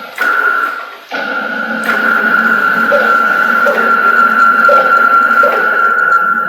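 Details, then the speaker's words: CNC router Y-axis with slaved gantry motors, PureLogic PLCM-E1B controller, jogging back and forth: constant stepper whine with a soft thump surging about every three-quarters of a second, pulsing at one gantry end then the other; traced to anti-backlash nut. "as he jogs this machine back and forth on the y-axis you're going to find that it's pulsing it pulses on this side of the gantry at first and then on the opposite end as it jogs back it's going to pulse on this side"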